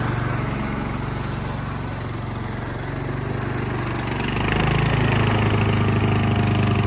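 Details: Craftsman LT1000 yard tractor, long unused, after new battery, tune-up, fuel lines, oil and filter change, new spark plug: runs steady and picks up smoothly as the throttle opens, no misses or knocks; sounds healthy.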